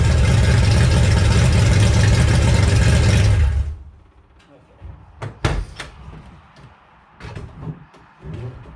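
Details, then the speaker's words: Ford Mustang crate engine (V8) running in an enclosed garage, after a gasket fix where the intake manifold had been left untightened (head bolts checked okay); loud, even running with deep exhaust, then shutoff: healthy engine, loud exhaust. "I'll start it up for you so you can hear the exhaust. Kind of loud."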